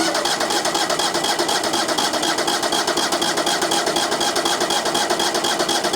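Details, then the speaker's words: Brand-new small engine on new sawmill, first start after opening fuel tank valve: loud steady buzzing idle, even pulses about four per second, no misses or knocks; normal idle. "Oh yeah, yeah, we're getting fuel now. Sounds good. Because this is a brand new engine, I'm going to let this thing sit and idle for a second."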